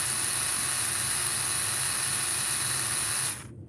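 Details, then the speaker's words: Small slot-car motor spun with the wheels running: a smooth, even high-pitched whir held for over three seconds before spinning down; running freely and healthy. "i want to show you with the wheels running that thing is purring tell me that's not purring somebody just tell me it doesn't sound beautiful"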